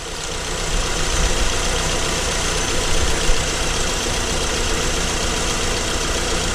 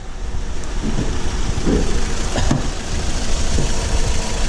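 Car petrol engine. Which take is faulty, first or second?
second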